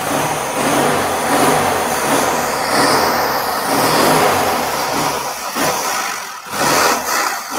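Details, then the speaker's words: 1957 BMW Isetta with a replacement used engine swapped in for the locked-up original: steady running with light whir from the turning drivetrain, far-side wheel spinning; engine runs in gear with no knocks or grinding. "ah so y'all can't see it but the other side the other side's spinning so we apparently are in somewhat of a gear"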